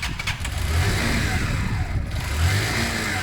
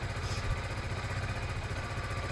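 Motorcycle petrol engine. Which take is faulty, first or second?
first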